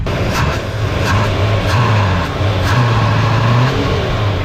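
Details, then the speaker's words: 1978 Chevy Nova four-door V8, long in a junkyard, first start after reviving a bad starter solenoid: revs rise and fall with one short sharp pop through the rumble as throttle opens; misfire, main jets possibly clogged, cause unconfirmed. "didn't need to give it extra voltage yeah one little misfire pop up"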